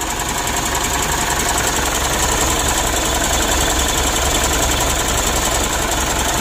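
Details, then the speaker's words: Mitsubishi Pajero Sport Exceed diesel, cold start after sitting about three days: harsh rough idle with fast uneven ticking over loud clatter; mechanic suspects bearing, adjuster or tensioner, camshaft to be checked, supply pump analysed; rough running with ticking at cold idle. "Dan kita dengar itu memang betul ada suara kasar pada mesinnya ya"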